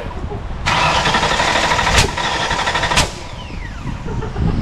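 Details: Factory Five Type 65 Coupe, 302 small-block Ford after a swap to AFR 185 heads: cranks steadily about four beats a second with ragged uneven catches and no pickup; plug wires out of firing order.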